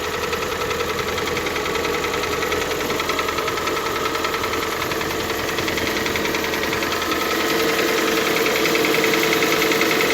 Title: Стук на холодную G4NA